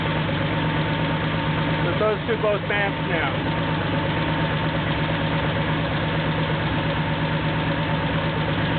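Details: Porsche 911 2.7 L flat-six, early S cams, twin plug, 46 mm PMO throttle bodies, Tec3 management, first startup, running a bit rich at about 13:1 AFR, both banks near equal on the flow meter: steady, even cold idle, slightly raised, no misses or knocks; normal.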